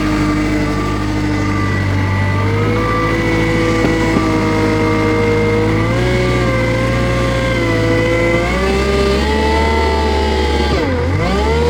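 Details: Kubota 520 hydrostatic wheel loader that wouldn't reverse up steep hills, after forward and reverse relief valves were swapped: diesel pulls steadily under load with pitch rising and easing, no chatter or squeal; forward now hits relief, a test of whether the relief valve is at fault.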